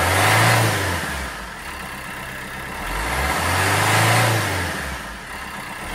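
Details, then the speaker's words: Peugeot Bipper 1.3 diesel after injector and fuel filter repair for cold diesel knock: revs up and settles twice, smooth and even with no rattle or knock; knock fixed. "I tied my tools up put out um DPF pull as well so I'm going to do a DPF regen on it but but yeah and that solve that diesel knock"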